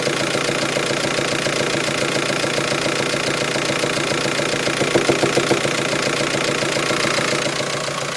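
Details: VW T5 van engine at idle: a steady tick, then a short run of louder knocks midway; the intermittent knock began today, first at higher revs and later at idle, coming and going.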